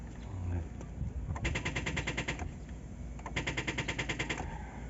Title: hyundai accent clicking sound cranking won't start service @taytay rizal #lowbatt #nostart